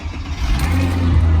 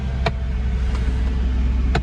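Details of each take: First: Cold start in snow of a 20-year-old Mercedes CLK V6 with 35,000 miles: engine catches at once and settles into a smooth, steady low hum with no stumble; normal healthy cold start. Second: Clicking noise at idle from the V6 of a 20-year-old Mercedes CLK with 35,000 miles, just after a cold start in snow; a few sharp, irregular clicks about a second apart over a steady idle; source not yet known.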